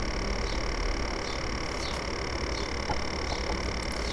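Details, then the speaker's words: Apple A1398 MacBook Pro, recorder aimed at the fan grilles: loud, steady, raspy rattling that slows as the laptop powers off, so the fan is confirmed as the source; caused by dust buildup, and the noise was gone after cleaning. "it's pretty obvious it's quite a loud sort of rattling consistent noise um yeah to me it sounds like the fan has got something jammed in it"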